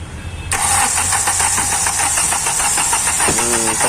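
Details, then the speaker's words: Hyundai i20 CRDI 1.4 Delphi diesel, low rail pressure, no codes: fast, even cranking at about five beats a second that never catches; no start from excessive injector return. "कि इतने बहुत ज्यादा return तक अ हैं तो ज्यादा return देने से भी स्टार्टिंग प्रॉब्लम है"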